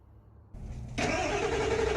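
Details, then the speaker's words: High-mileage Ford 7.3L Powerstroke diesel after new turbo and injectors, pre-cranked but air in high-pressure oil: short quiet crank, then it catches abruptly and settles into a steady idle with faint whine; healthy start. "there's air in the high pressure oil right now, so it might take a few cranks to get her started, but I think I about got her there."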